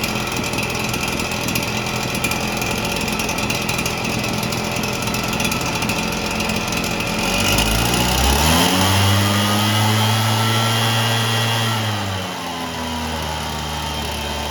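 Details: Red Max EBZ7100 two-stroke commercial backpack blower rescued from the dump, fuel lines replaced, primed and given starting fluid: catches and rises smoothly to steady high revs, then settles; runs evenly, normal running.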